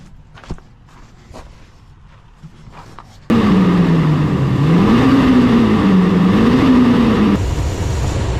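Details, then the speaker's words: Ram 2500 6.4L Hemi after fan clutch replacement, restarted after warm-up drive to temperature: engine fires, pitch rises and falls briefly, settles into even run with no fan roar. New fan clutch now working; normal idle. "So that sounds a lot better."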